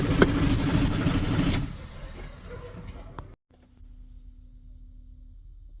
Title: citroen jumper 2008 hard starting when cold